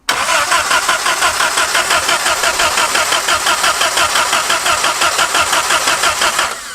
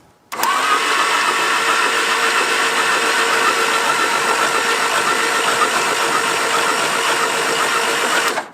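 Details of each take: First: Abandoned 1950s-60s Willys Jeep truck at first drive attempt, full throttle with a little choke: even starter churn about three beats a second for six seconds, never firing; no spark, coil believed burned up by leaving the wire on. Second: Abandoned, long-buried 1950s-60s Willys Jeep truck, battery recharged after being thought dead: steady, even, brisk starter whir spinning the engine over; normal cranking now that the battery has charge.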